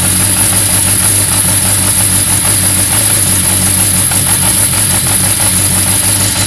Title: 1991 Yamaha XJ600 rough idle